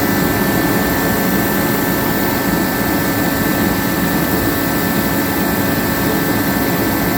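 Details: Pro 80,000 BTU kerosene torpedo heater that had sat unused for years, running after a fuel-line fix. Fan and burner give a constant, even roar with no sputter.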